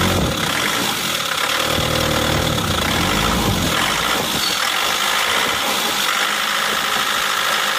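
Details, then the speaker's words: Isuzu Panther diesel with a limping engine, smoky exhaust and a dull note when revved: lumpy uneven idle with a recurring stumble, one cylinder unbalanced; loosening injector lines one by one showed cylinder 4 weak from a faulty injector. "jadi ini pincang mesinnya pincang ada satu silinder yang tidak imbang"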